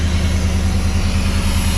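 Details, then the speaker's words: Off-road buggy "4 Lug Thug" idling after a new fitting, checked with no leaks; smooth, even low idle with steady beat, no misses, ticks or knocks, sounds good; normal idle. "Something works. Sounds good."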